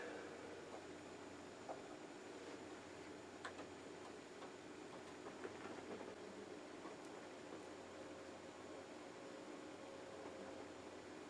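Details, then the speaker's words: Juniper EX2200 switch booting after a fan mod with two new quieter fans: very faint, even fan hiss with light ticks, quieter than breathing. Fans running quiet and normal. "it's booting you can hear nothing my breathing is actually louder"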